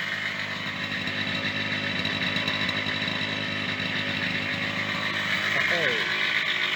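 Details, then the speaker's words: Yamaha DT50MX two-stroke after a plug swap, choke partly out: fast buzzy idle with a loose metallic rattle like a bag of bolts; owner suspects worn bearings, not confirmed. "oh still sounds like a bag of bolts bearings okay so let's go through this should have a"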